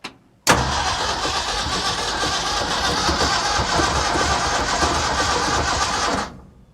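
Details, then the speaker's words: 1965 Ford F350 FE engine restarted after intake manifold reseal and distributor replacement: it catches and runs unevenly with a loud steady hiss like escaping gas; a leak suspected, possibly from the exhaust or compression, source unconfirmed. "I still hear what sounds like some kind of leak somewhere."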